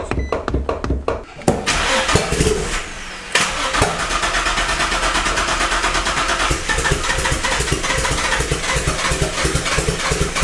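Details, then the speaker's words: Built Greddy twin-turbo G35 at first start, fuel pump primed, PCV valve unplugged: starter churns in bursts, then it catches and runs ragged and dies when given gas. Passenger-bank coils 1 and 3 found swapped. "I give it gas and it dies."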